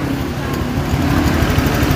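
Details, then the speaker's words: Honda Vario automatic scooter after repair of the ticking "klétek" noise, engine started: idle now smooth, steady and quiet with no rattle; the remaining light ticking is the normal standard Vario tick, normal idle. "Oke dinyalakan Oke suara sudah halus kembali"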